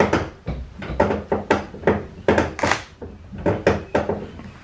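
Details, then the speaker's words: Fox body Mustang with a Flaming River manual rack-and-pinion, about a year old: uneven hollow clunks roughly once a second while turning the wheel, pinion skipping in the rack from a worn yoke spring; steering rack clicking. "hey what's up guys I wanted to share a problem I'm having with the with my Mustang it's I got this like weird ticking noise whenever I turned the wheel"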